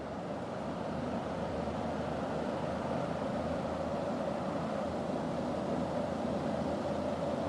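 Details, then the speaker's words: SMC Laguna 36-inch ceiling fan on high speed after spin-up: steady whooshing air rush with low even rhythmic blade chop, sounds like a helicopter, no rubbing or clicking; normal ceiling fan operation. "I mean it just sounds like a helicopter kind of well it's a really good ear mover off"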